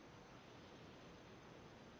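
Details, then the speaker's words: A new 1/8" air micro die grinder connected to an air compressor gives a steady, even soft hiss with no rhythm. Air is escaping near the bottom fitting, which may be installed the wrong way round. The leak is suspected, not confirmed. "Not sure if that's normal or not, but okay. Oh well. Yeah, I hear the air hissing."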